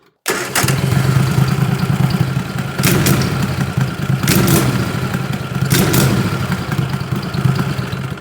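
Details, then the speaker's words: 20 HP Tecumseh twin-cylinder racing mower engine with dual 34mm PVK carbs, throttle snap from zero to 3/4 throttle: steady low run, then sharp blips that bog briefly before picking up. It definitely hesitates; cause not confirmed. "So, I start the engine and I go from zero to 3/4 throttle quickly like"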